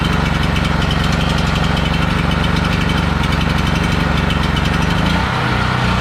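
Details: Generator switched from propane to old gasoline after a hand-crank start, charging its battery; steady, even deep drone at constant speed, no misses or surging, small dip near the end: normal running.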